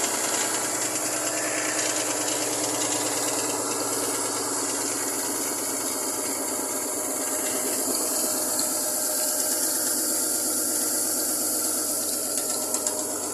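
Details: Chevrolet Lumina APV 3.1 V6 engine running cold: busy, uneven ticking clatter over a hissy background — engine knock when cold, cause unclear.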